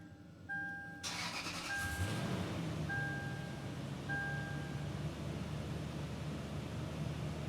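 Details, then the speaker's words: Lexus GX470 after alternator replacement. Quick crank, catches at once and settles to an even, smooth idle over a steady chime; it runs fine and the belt runs normally. "sounds like it's running fine"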